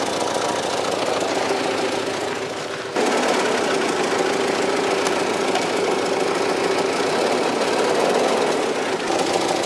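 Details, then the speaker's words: 1995 Cadillac Fleetwood before new mufflers, January 2014, after sitting parked with flat tires, oil and coolant leaks: loud, raspy, flat roar at idle with rough pulsing edge, far too open; exhaust leaking under the car from worn-out mufflers. "it had the white wall tires and all of them were flat and it had very very bad Mufflers it also had an an oil leak and coolant leak"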